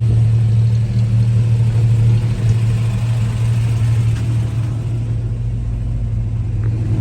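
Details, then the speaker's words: 1968 GMC factory big block 351 V6 truck with the idle turned up after it stalled: a low, lumpy, uneven idle. The owner suspects debris was sucked into the idle circuit. "So I got it idled up and kind of trying to clear itself out. It's having a rough time idling."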